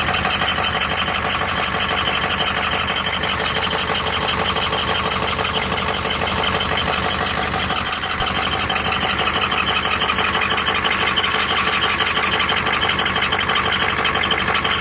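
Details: Ford ZF5 S5-47 manual transmission, supposedly good used unit: gritty hiss with faint high squeal and steady pulse about three per second; teardown found rear countershaft bearing race spinning in the case, 0.006" countershaft endplay, bearings only minor pitting.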